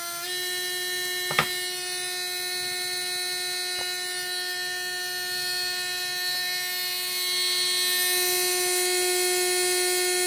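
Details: Readytosky 1804 quadcopter motor on a vibration test after calibration: a high steady whine with a buzzy, gritty edge, rising slightly at the end. Bad bearing, crazy vibration; magnets reportedly come loose from vibration.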